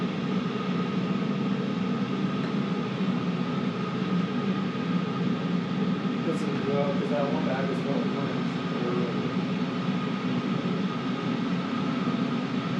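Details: Cheap Chinese 5 kW 12V diesel air heater on first test run, exhaust pipe not yet fitted (exhaust blowing into room): steady whooshing fan over low even combustion rumble, no surging or popping; running normally at full heat.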